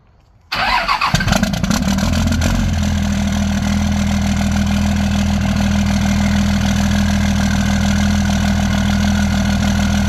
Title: 2nd gen misfire